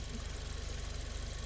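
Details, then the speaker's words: Freshly built big-turbo four-cylinder (400 hp target, used rings), first start: even, chugging tractor-like idle with steady low pulses and no knocks or misses; healthy. "that's so good to hear this engine run again i haven't heard a good tractor in a minute it really sounds like a tractor yeah that's true"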